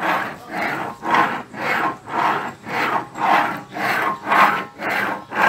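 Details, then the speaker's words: 2010 Ford Fusion V6 electric steering rack, subframe lowered, worked back and forth by hand: rough grinding rasp about once a second, located at the electric motor end of the rack. Worn rack bearing; water got into the rack. "enfim o barulho é realmente aqui ó na caixa de direção ó"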